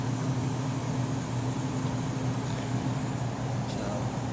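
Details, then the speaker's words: Indoor A/C blower after repair, breakers back on, thermostat on cool, auto, 72: refrigerant moving, then a steady low hum with even fan rush, no rattles or surging; indoor blower running normally again. "I hear the refrigerant move and there's the indoor blower motor"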